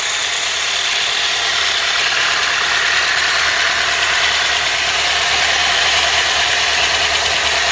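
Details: Ford Cortina Mk3 with newly rebuilt 2.0 Pinto engine, auto choke working, warmed up with temperature holding mid-gauge: steady even idle with smooth hiss, no knocks or misses; normal warm idle.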